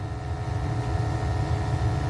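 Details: Burnham boiler with incorrect gas valve at 3.5 gas pressure, overheating, ppm rising drastically on combustion test, high then low firing: deep uneven pulsing rumble; rough combustion, fixed with Honeywell/Resideo VR8345H slow-opening valve.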